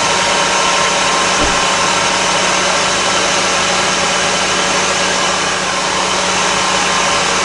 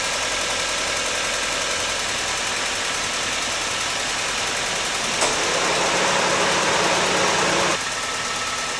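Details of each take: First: 2003 Honda Civic Hybrid after a new spark plug fixed its clicking/ticking issue: loud, steady, even idle drone with no tick or click, now running cleanly. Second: 2003 Honda Civic Hybrid at steady idle: a fast, fairly even ticking of about three to four per second. Owner suspects a rear spark plug with carbon on it is probably the source, so new spark plugs are needed. The leak fix with new weatherstripping did not cure the tick.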